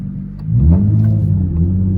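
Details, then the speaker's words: Nissan G35 manual, 185k, loud with cats removed, on throttle in first gear: engine note climbs fast and stays high with revs flaring freely and no drive; clutch slipping, needs replacement. "We're good so far, and I'm on the gas right now in first gear, and we're going nowhere. Just for proof, first gear."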